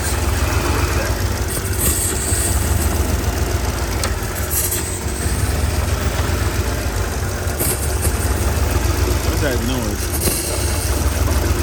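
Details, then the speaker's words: 2007 Mercedes GL450 V8 idling, deep uneven rumble rising and sagging as it struggles to find an idle, a sucking noise heard; random misfire and low power, two spark plugs oily, shop said it needs a new engine. "Trying to find an idle. Very unsteady. Very unsteady."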